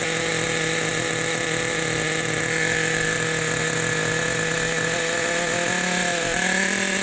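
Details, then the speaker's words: Rebuilt 2002 Team Associated NTC3 nitro RC car at its first start-up after the idle was backed off. High, steady buzzing idle with a fat, slightly burbly edge, pitch lifting a touch as it settles; normal rich idle. "nice listen to that idle boys fat we got it fat we got it fat"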